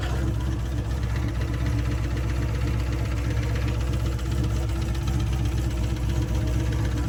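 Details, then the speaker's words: 4th-gen Camaro restarted after a drag strip pass: deep, heavy knock at about four per second over a rough idle, first thought a torque converter bolt or lifter; chunks in the oil pan showed a damaged connecting rod. "so at first I thought you know hey maybe it's a torque converter bolt or maybe it's a lifter um it sounded pretty low"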